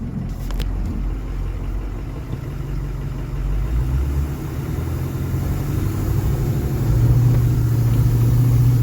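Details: Truck after transfer case motor replacement and tight transfer case diagnosed, tested on a hill shifting into four-low: deep steady rumble firms and rises smoothly under load, no clicking as before; four-wheel drive engaging properly.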